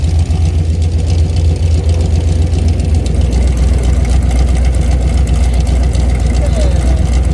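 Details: Mopar 383 V8 with a roller cam and lifters after flat tappet lifter failures, mufflers removed, about 900 rpm idle: deep, throaty, steady lope of about four beats a second. Even idle with no ticking or knocking, healthy.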